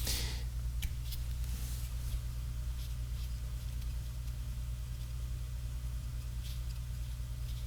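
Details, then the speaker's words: Sony TR-6 six-transistor radio at full volume, tested before repair: only a steady low hum from the working audio section and no station received. The fault lies between the oscillator, IF and detection stages; no reception, hum only. "And nothing. I do hear hum from the audio section though. So at least we know that the audio section is trying to work at any rate."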